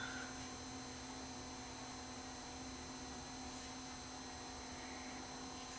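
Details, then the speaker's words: USB cassette capture player with no tape inserted, giving a steady hiss with faint hum and whine. The amplifiers are noisy and motor noise bleeds into the output. "as you can see there is some noise just from the amplifiers in this thing even if there's no tape in it the amplifiers himself are lazy you can hear it hissing you hear motor noise too"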